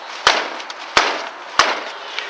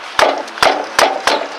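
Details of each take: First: Ford Expedition with 17-inch tires: three firm kicks about two-thirds of a second apart on the front left tire, each a short solid thump with no rattle or hollow ring; healthy tire kick thud. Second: Four sharp kicks against the left rear tire give a hollow, woody knock unlike the other three tires, pointing to a worn wheel bearing; next step is jacking and shaking the wheel.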